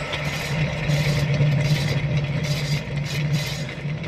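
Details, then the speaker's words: 1965 Corvair with the engine out and the top cover off, fan spun by hand: rough scraping grind with a low drone from the worn fan blower bearing, which screamed when running; housing to be replaced with a rebuilt bearing assembly. "I hope you can hear that kind of grinding noise when I spin it"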